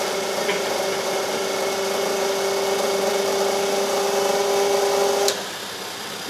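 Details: CVR(T) Striker ATGM launcher hydraulic ram system, pressure dropping: steady mid-pitched whine with higher overtones for five seconds then cuts off; pump making noise, cause unknown.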